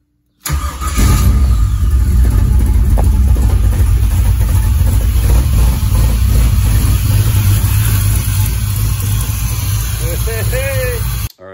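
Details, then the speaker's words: Chevy Monza V8 after complete Painless Wiring rewire and oil change: fires and runs with a heavy, slightly uneven low rumble that never smooths out; owner suspects one or two injectors stuck open. "figured something out it acts like there's maybe an ejector or two they're stuck open"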